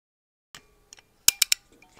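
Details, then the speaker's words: Stop & Go 1075 tire plugger: plug gun handle squeezed with nozzle in the tire, giving a few sharp metallic clicks in quick succession; normal click means the mushroom plug has passed fully through the tire and is seated, ready to pull gun and nozzle out. "that sound indicates that your mushroom plug has made it all the way through the tire and it's time to pull the plug gun and the nozzle out Al together"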